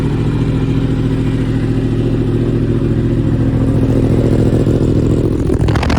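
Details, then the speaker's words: 2015 Yamaha R1 race bike with 7200 track miles, cold idle after two weeks unused: steady even low burble, regular exhaust pulse, no ticking or knocking; valvetrain quiet, perfect condition. "oh that sounds beautiful 2015 R1 perfect condition"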